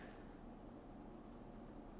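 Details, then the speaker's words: Tangerine iMac G3 tray loader after replacing the noisy original fan with a quieter modern unit, first power-on: faint even low whoosh, no rattle, tick or whine; fan runs smooth and much quieter than before. "Okay, I can definitely hear the fan. It's quiet though, it's much quieter than it was before."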